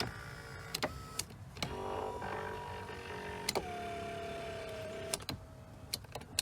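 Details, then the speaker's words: Flood-damaged 2023 Hyundai Palisade power seat after repairs: relay clicks, then smooth even motor hum holding steady pitch through each travel; seat motors working normally. "This extension works just fine. Seat moves front and back. Okay. Back goes everywhere."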